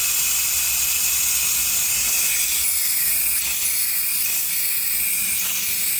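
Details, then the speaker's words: 2018 Audi A8L air suspension, lines disconnected from the valve block during compressor and valve block replacement: loud, sharp, continuous hiss for several seconds as the line dumps a lot of stored pressure. "That is a lot of air."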